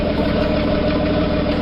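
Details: CJ7 idling with the clutch pressed: a smooth, even idle with none of the earlier grinding noise.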